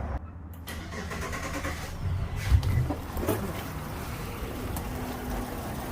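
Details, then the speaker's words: Pursuit 385, port Yamaha outboard running poorly, after swapping injectors between cylinders 2 and 6: cranks, fires and runs lumpy with a cylinder dropping out. Number six is still missing, and a lost coil signal is suspected. "still missing [Music] number six here still not do nothing that makes me think maybe we've lost a signal to our coil here"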